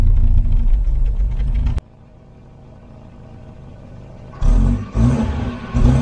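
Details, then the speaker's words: Volvo 240 wagon (245) revived after sitting for years, needing fresh oil: engine revs freely, drops to smooth, even idle and picks up cleanly on each blip with no knocks or misses; runs really nice, maybe slightly rough. "so now it's just purring like a kitten can't believe it sounds great runs really nice"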